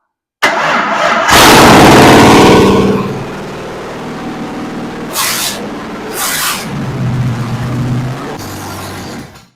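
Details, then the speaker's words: Budget-build Ford 302 V8, first runs after fixing weak batteries, temporary carb, fuel line and starter hookup, extra gas added to carb: short crank, catches right away, flares then settles evenly with snappy throttle response; healthy normal start. "All right. Seems snappy. Gotta do a few more things there."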